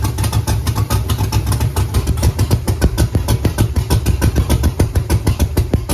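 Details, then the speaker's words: Camaro with Holley EFI 5.3 LS V8 at idle: rough, lumpy chuffs about three per second with gaps from dead cylinders; even coils have spark and coils not bad, but on the odd bank only number one fires, three, five and seven have no spark. "all right so these coils have spark all the evens do the odds not so much so number one has fire number uh three does not have fire number five does not have fire number seven does not have fire"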